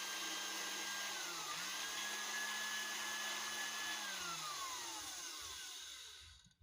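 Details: Man blender that wouldn't turn on, after replacing carbon brush with a new longer one: smooth, high, steady motor whine holding even before winding down cleanly; runs normally after repair.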